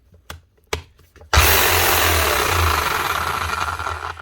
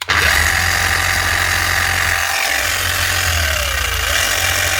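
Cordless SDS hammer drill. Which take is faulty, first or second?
first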